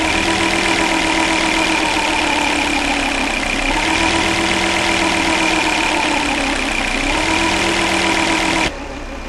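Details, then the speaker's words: 2000 Volvo S70 Turbo AWD with a loping, hunting idle: speed rises and sags slowly instead of holding steady; owner doubts the idle air control valve is the cause. "this is a 2000 Volvo S70 all-wheel drive with a loping idle it's kind of hunting a little bit"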